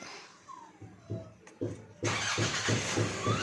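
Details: Nissan Navara diesel with low power and hard starting, traced to a loose crankshaft position sensor connector: about three slow cranking beats a second, then it catches at two seconds and settles into an even idle; clean start.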